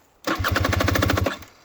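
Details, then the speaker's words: 2020 KTM 300 XC TPI two-stroke, 279.1 hours, after a fall on the trail: about a second of fast even cranking that never fires; no start, traced to a pinched crank sensor wire giving no spark. "well guys the KTM Acme Moto has broken down for the first time ever that's right guys Acme motor will not start"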